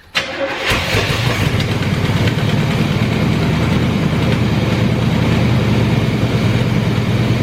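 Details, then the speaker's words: 1984 GMC Sierra C25 3/4 ton, 454 big block, first run after nearly 20 years parked, following new tank, sending unit, fuel pump and a swapped carburetor: starter whirr then a steady, even low idle with no misses or knocks. "oh it does ruin so that's all that matters it runs it's set for like almost 20 years"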